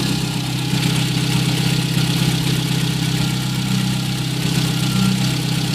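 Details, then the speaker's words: VW Gol 1.0 8v, 20W50 mineral oil, idling about 5 minutes after start, not fully warm: smooth steady low idle, even beat, only normal morning tappet noise, no knock; irregular clack appears only when hot; normal idle. "Somente barulho normal, barulho de tucho aí pela parte da manhã a hora que liga."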